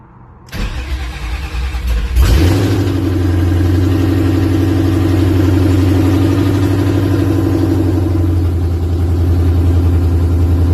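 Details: 2008 Mustang GT with Coyote V8 swap wired using a control pack and trimmed 3V engine harness: brief crank, then catches cleanly, flares up and settles into a steady deep rumble; normal start and idle.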